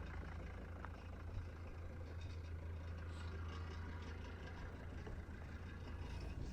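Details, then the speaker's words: Mercedes 240D diesel, off the road 5–6 years, idling after revival: low, steady, even idle, no knocks, rattles or leaks; normal diesel idle. "I don't see anything leaking, no strange noises. I'm genuinely impressed."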